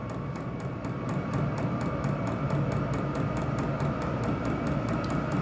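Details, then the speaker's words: Vevor diesel heater raised from minimum to maximum through the Bluetooth app: steady fan roar, with the fuel pump ticking evenly about twice a second as it picks up. Running normally at full power and giving good heat. "should be getting some really good heat now oh yeah and that baby is [Music] blowing"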